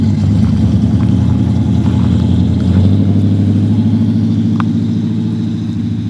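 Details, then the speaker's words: LS V8 truck on first road drive after a Yella Terra roller rocker, LS7 lifter and LS9 head gasket install: smooth, deep, steady drone under light load, no knocks, ticks or rattles; successful initial run. "the wires feel good so the verdict is a successful initial run"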